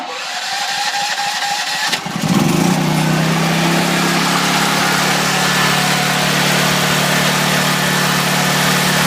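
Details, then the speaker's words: Duramax XP10000E generator converted to propane with a tri-fuel kit, primed twice then started; cranks briefly, fires and revs high, then self-idle control drops it to a steady, even, smooth run once warm; normal start and warm-up. "So once it warms up, it revs first to get everything running. Then it'll idle down. Once it warms up, it smooths out really nice."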